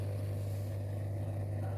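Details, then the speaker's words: Midea dishwasher in for repair (the wash motor had seized because the water was gone); drain motor tested with power applied. Smooth, steady low hum at constant pitch with no grinding or rattle; the drain pump runs normally. "I already given power a drain motor already before so worked does we know any problem with the drain motor"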